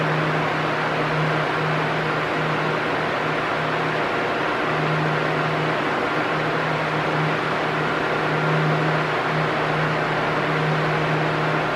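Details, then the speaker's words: Arno Silence Force 40 cm table fan at maximum speed: steady loud rushing air with low motor hum, normal; rising and falling noise would signal a fault. "Se o barulho tiver igualzinho, hum, não tem problema. É normal mesmo. Ele faz um barulho alto no na na velocidade máxima, né?"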